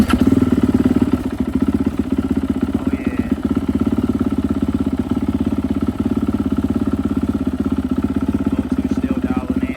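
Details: Turbocharged Yamaha YZ450F now made into a YZ-500, on E85 with new OEM cams fixing an earlier issue; push-button start, settles into a quick, even thump with crisp blips; runs clean and healthy.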